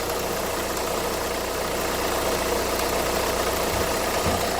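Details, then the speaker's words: Renault Kangoo 2011 1.5 dCi 86 hp, under 100,000 km, idling with an uneven knock about three to four per second; metal filings in the Delphi injection pump and foamy, aerated fuel are upsetting injection. "Là on le voit là direct on voit qu'il y a un problème bien. Voilà il y a de la mousse et de la mousse c'est pas bon il y a de l'air et tout là voilà la foire. Voilà voilà ça fait du bruit."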